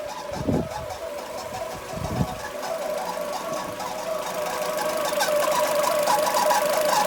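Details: Citroen C5 engine after repair: runs with a light, fairly quick ticking and a mid-pitched rattle over it; abnormal noise, cause not identified.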